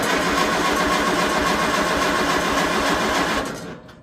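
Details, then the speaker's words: Tractor sitting over a year, choked, out of gear: steady cranking about 3.5 turns a second with no firing; tank found empty, out of gas. "unchoke a little more throttle oh don't maybe it's out gas that could be probably should have checked"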